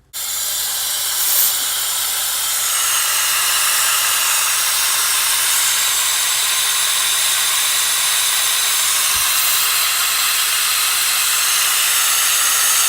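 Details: Subaru Legacy GT, EJ25 turbo engine, aftermarket intercooler, boost leak test with blow-off valve included: loud steady hiss of escaping air; leaking badly at intake and crankcase ventilation.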